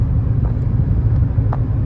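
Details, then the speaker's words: 2018 Cadillac Escalade after DOD delete with LS7 lifters, shorty headers and Magnaflow muffler, cruising on highway: low steady road rumble, no ticking or drone; healthy. "As you can see, it doesn't really make any noise, which is perfect. And then if you step on it, again, you still hear more intake than anything, but it sounds pretty good."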